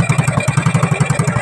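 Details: Rusi TMX-style 110cc carbureted motorcycle with a hard-start problem, run after tuning with the air cleaner just fitted. An even low putter with slight dips but no stalling; normal idle.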